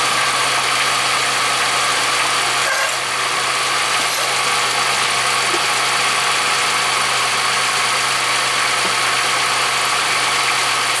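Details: 1995-05 Oldsmobile Silhouette/Pontiac Montana/Chevy Venture minivan, started after fuel pump replacement: steady, even idle with no knocks or misses, constant hiss over engine note; return fuel line suspected of spraying.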